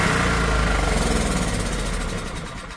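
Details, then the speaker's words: Old heavy Honda generator stored 20 years, running on choke powering a drill: smooth, even beat at steady speed, then fades as petrol runs out; runs healthy, carb issue suspected. "She's running with the choke on, so that is phenomenal."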